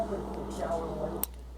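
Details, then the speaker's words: Electric furnace sequencer in a no-heat repair, after its low-voltage power is switched off: one sharp click over a low hum as the heated bimetal disc cools and opens the relay; sequencer relay clicking off. "after you shut the power off they'll start to cool back down when the voltage is off of them and it'll actually click off. You'll hear them clicking once the power is off of after a few seconds"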